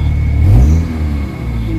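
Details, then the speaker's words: Kia Pride with white smoke and low power, before XADO engine treatment, air conditioning on, warm; revved, the note swells then sags unevenly with a shaky drone and strong engine vibration; rough running, cause suspected, not confirmed. "Pangit yung ano yung ah under ng engine sobrang lakas na ma vibrate ang lakas ng vibrate oh"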